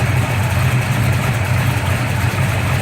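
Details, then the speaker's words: Gran Torino V8 with a big cam and MSD Atomic fuel injection, started after sitting four months at about 52 degrees: deep, loping idle with a choppy beat that sounds like a miss but is not; normal lumpy idle from performance camshaft. "Sounds like it's missing, but it's not. It's a big cam we got in there."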